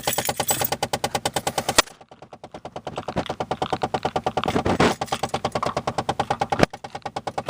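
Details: 2007 Chevrolet Malibu LS: rapid, even plastic clicking about three per second from the dashboard that never stops; gears slipping inside a stuck AC mode or recirculation door actuator, fixed by freeing the door and replacing the actuator.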